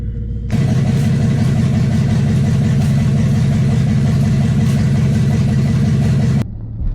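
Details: Loud, heavy V8 in an old mud truck, just-swapped engine after the previous one blew during a burnout, runs with a deep, uneven knock about four times a second: rod knock.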